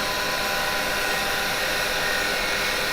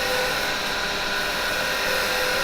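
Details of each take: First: Woodturning detail chisel making a finishing cut: loud steady hiss and rasp with a fluttering vibration, tool chatter because the tool isn't held straight enough; straightening the tool removes it. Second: Woodturning on the lathe: with the tool straightened more to stop vibration, a smooth, steady cutting hiss without chatter leaves no tear-out on the grain, a clean cut.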